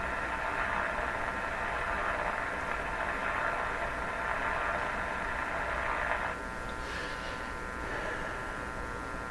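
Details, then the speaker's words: Stromberg Carlson Model 515 tube radio with antenna disconnected: constant buzzy whine with steady hum underneath, coming from inside the radio, not the antenna; suspected oscillation not properly suppressed by capacitors, unconfirmed. "I'm quite certain that's not something that the radio's picking up from the antenna, that this is something going on in the radio."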